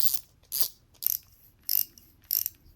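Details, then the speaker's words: Spinning reel drag after upgrading felt drag washers to carbon fiber discs: short crisp clicking bursts, about two a second, with no squeal as drag pays out smoothly and quieter; normal drag clicking. "there you go guys super smooth drag you'll notice that your drag will be a lot quieter uh you'll just hear the clicking"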